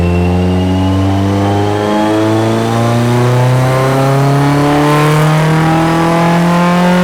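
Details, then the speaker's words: Car on dyno pull making about 212 hp, quickly made fuel map running very rich: engine pulls hard with rising tone, stumbling and breaking up partway; cause unknown, possibly excess fuel. "so it was bared in fuel and it was breaking up but uh 2 212 I think is still on the low side it just it's breaking up you could hear it and I have no idea why so let's do some Wizardry and get back to you g"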